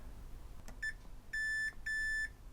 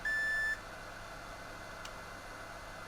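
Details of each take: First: Xbox One S (Beep On Beep Off, corroded) board repair: multimeter in continuity mode across a wire newly soldered to a capacitor and trace; a short chirp then two steady high beeps confirm a good connection. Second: Xbox One S (Beep On Beep Off, corroded, HDMI port destroyed) HDMI port pins being checked after resoldering (pin 19 reattached); multimeter continuity brief high beeps as probes touch neighbouring pins, revealing a solder bridge.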